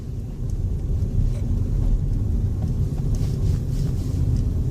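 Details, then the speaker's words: Opel Meriva B while driving and braking with air recirculation switched on: only steady low road rumble, and the center console squeak behind the radio is gone, pointing to the recirculation system. "breaking now absolutely nothing [Music] wholly silent"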